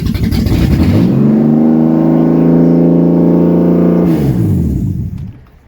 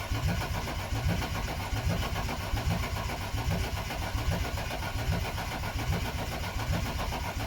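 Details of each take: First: BMW E36 Coupe, first start of freshly installed M52B28 2.8 six from a Z3 after refitting the fuel pump relay: catches cleanly, climbs into a smooth steady rev, then winds down evenly, no misfire or knocking. Normal start. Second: BMW E36 Coupe with freshly installed M52B28 2.8 six from a Z3, fuel pump relay deliberately pulled to build oil pressure: steady rhythmic starter cranking about twelve seconds, never firing; no start due to no fuel.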